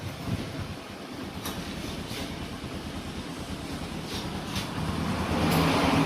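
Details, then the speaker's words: Honda Supra X 125 after repair of a metal-grinding noise inside the clutch case: even, smooth engine note climbing steadily as it revs, with no metallic scraping; runs normally again. "Nah untuk hasil produksinya sudah normal lagi ya teman-teman dan bunyinya pun sudah halus lagi atau tidak kasar lagi"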